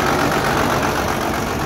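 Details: Pickup with a 12-valve Cummins swap, P7100 injection pump repaired from a stuck rack, first start, no coolant in it: steady, even diesel clatter at a settled idle with no misses, knocks or surging.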